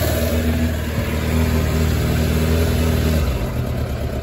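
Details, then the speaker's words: 2006 Suzuki GSX600F (K6) four-cylinder during a carb sync check. A deep, steady, even hum with no misses; all four cylinders running properly. Earlier trouble may have been only when cold, and the engine is not yet fully warmed. "actually all four seems to be running properly, which is a good news."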